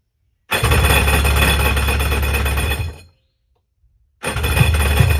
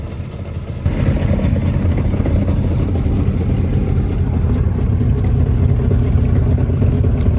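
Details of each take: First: 1996 Tigershark jet ski two-stroke, bought non-running, fuel lines disconnected and gas poured down the carb throat with no choke. It fires and runs strong about two seconds, dies, then catches again: it stalls because the fuel pump isn't delivering, and the tank needs cleaning. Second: 1996 Tigershark jet ski two-stroke, revived from non-running, started cold and left idling while cooling water line temperatures are checked. It settles into a steady, low, even idle burble: a normal idle.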